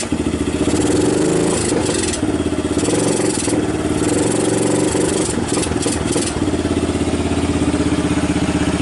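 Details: 1990 Kawasaki Bayou 220 ATV single-cylinder after cold start, carb replaced, good compression; even idle thump with a few sharp blips that pick up and settle back smoothly, a little smoke. Normal idle.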